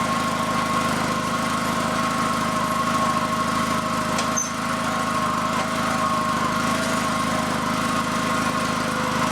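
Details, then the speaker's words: FF/18 vehicle's replacement two-cylinder liquid-cooled Honda engine from a tractor, first shakedown run after install: steady, even running at constant pitch with no knocks, misses or surging. Passed the shakedown run; normal. "looks like she passed the first shakedown run"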